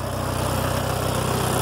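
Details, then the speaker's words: 1964 Farmall Cub, recently got running, switched to 12-volt, exhaust side: steady, even putter at idle with regular firing pulses, no misses or knocks; healthy idle. "here's the exhaust yeah sounds really good"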